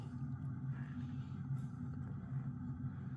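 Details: 1980 Emerson Casablanca 52" friction-drive ceiling fan on low after a brief start on high, since it tends to stall at low speed: steady, fairly loud low hum with even drone, no knocking or scraping; normal running.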